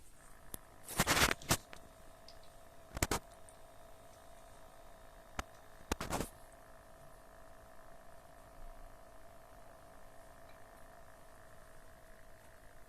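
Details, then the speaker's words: Cat water fountain pump, about 2600 rubles, 2020: steady low electric hum under a few handling clicks, louder with the rubber pads and foam damping removed; pump hum from missing vibration damping, which scares the cat. "если убрать вот эти прокладочки то он посильнее шумит и если убрать пенопласт"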